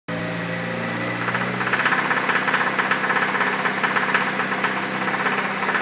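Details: Nissan SR20DET engine: rapid metallic knocking, about four per second, rides over the engine and sharpens as it revs. The owner says it is a bottom-end knock on the number 2 cylinder.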